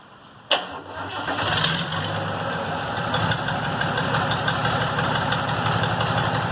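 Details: Restored Tata truck diesel, said to be a Benz-derived engine, cold start; short crank, fires within about a second, settles into steady even diesel clatter: normal cold start after engine restoration.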